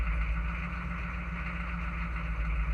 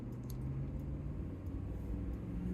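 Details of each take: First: Chevy/GMC 6.5 turbo diesel with aftermarket turbo, first start of the day: fires and runs rough and lumpy for several seconds, then shuts off; symptom of an inexpensive pump-mounted driver (PMD), restarts fine afterward. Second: Chevy/GMC 6.5 turbo diesel with an aftermarket turbo, accelerating onto the highway at about 10 psi boost toward 100 km/h (60 mph): deep, even diesel rumble pulling steadily with no knocks or stumbles; healthy acceleration.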